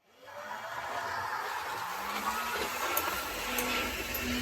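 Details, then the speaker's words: Vintage Tri-ang Hornby Diesel Pullman model train with Train Tech SFX20 sound capsule, before fix: steady harsh whirring rumble with hiss from motor and serrated knurled wheels on track, drowning sound unit; fix is milling wheels smooth. "And one of the comments that came back, I think quite correctly, was that the sound of the Pullman's motor and in particular the serrated from Nurled wheels on their track was draining"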